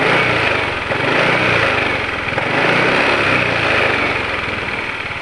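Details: Motorcycle idling after an oil change to Ravenol TSi, made because engine noise was growing (attributed to piston-cylinder friction, feared fuel dilution): quick, even single-cylinder putter with a light whirr on top and no knock or rattle. Smooth idle.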